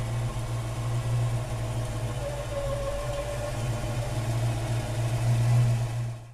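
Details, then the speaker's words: 1934 Ford pickup street rod, 350 Chevy V8 with Pete Jackson gear drive, 650 Carter carburetor, 350 turbo automatic, started cold after sitting overnight: quick catch, steady even low rumble, no knocks or misses; normal cold start. "That's a 350 Chevy right there with a 350 turbo automatic. Andrew's going to start it now, cold."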